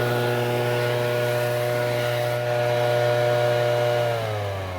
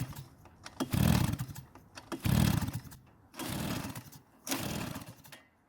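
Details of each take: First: Shindaiwa two-stroke backpack leaf blower after a no-start fix that included making a new gasket: strong, steady high-pitched wail holding even at high revs, then easing slightly. Clean, smooth running with no misfire or surging. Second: Shindaiwa backpack blower, two-stroke, no-start, fuel added at the carb inlet: four pull-cord cranking bursts that never fire. The intake is much too loose, causing an air leak so it can't draw fuel. No-start from an intake air leak.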